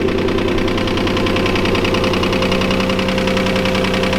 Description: His old engine had rock knock, and we are finally replacing the engine with a new one to support the boost we are pushing.